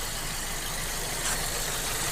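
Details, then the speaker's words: 2008 VW Golf 5 1.6 petrol after replacing spark plugs and gaskets for a cylinder 3 misfire (rough running): now even, steady idle with no hunting, where idle previously jumped to nearly 1000 rpm and back. "обороти стабільні тому що раніше отак навіть на холостому працювала і обороти все скакали скакали майже до 1сяч і вниз"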